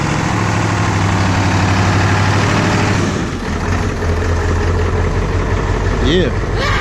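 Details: 7.3 diesel truck that ran out of fuel, started after refueling and priming the system; catches and settles into a steady, even idle with a low drone and no misses. Normal idle.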